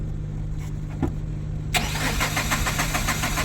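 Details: Tata Ace Gold BS6 diesel: starter cranks steadily at about three and a half beats a second with no firing or catch, engine speed shown on scanner, crankshaft sensor and water-in-fuel codes cleared; won't start, suspected low fuel motor pressure, fuel not getting through.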